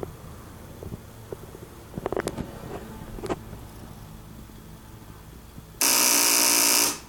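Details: 2006 Kawasaki ZX6R after winter storage with battery just reinstalled won't start; FI light on, EXUP seems to self-test; scattered clicks then a harsh loud buzz about a second long that cuts off, engine never fires, cause unknown.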